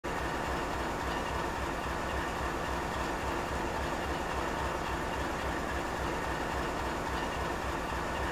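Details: GE 7FDL16 diesel engine at high idle: steady, even diesel roar with a faint rapid beat and no knocks or grinding; holding high idle cleanly.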